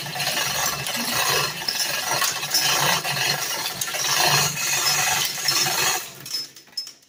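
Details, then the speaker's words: Chain hoist lifting the Robin 2PG engine out of an EZ-GO golf cart: steady irregular metallic clicking and ratcheting as the chain is pulled, the locks now engaging properly after not engaging earlier; normal. "hear that clicking that's the locks engaging like no white wasn't engaging earlier see now the chain doesn't fall on it those locks are clicking as it goes up that's exactly what it's supposed to do"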